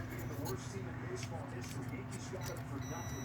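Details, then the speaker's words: 2013 Subaru Forester engine-side harness, meter continuity test on ground pins (GE1/GE2 grounds), third row up, third pin over: steady clean high beep near the end; ground circuit intact. "third row up third one over I should hear that tone remember that sound"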